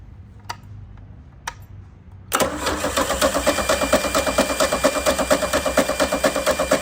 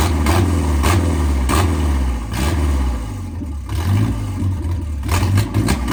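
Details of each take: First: 1987 MerCruiser 3.0 inboard boat engine cranking about two turns a second for five seconds without catching; crank no start, no spark because the ignition points are frosty with white corrosion. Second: 1987 MerCruiser 3.0 inboard boat engine revived after pickup: deep, steady low rumble with even firing and slight speed swells, no knocks or misses; normal running.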